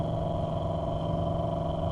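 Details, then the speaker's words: 2008–2012 Chevrolet Malibu blower motor, dead until struck with a tool handle: steady rough whir with a grainy, uneven rumble underneath; failing blower motor, confirmed by voltage drop, to be replaced. "it definitely doesn't sound very good but it is working"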